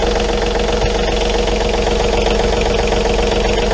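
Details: John Deere 3520 tractor diesel run after an oil change to check for leaks: steady, even clatter at a settled idle with no misses, knocks or hunting; normal diesel idle.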